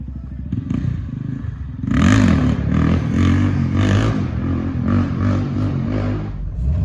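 Small single-cylinder engine idling, then revving up with a lumpy, loose beat that settles back; the engine runs and pulls normally.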